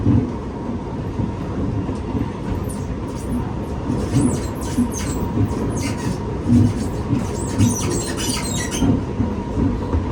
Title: [Strange creaking noises] SMRT EWL R151 Set 827/828 Queenstown to Redhill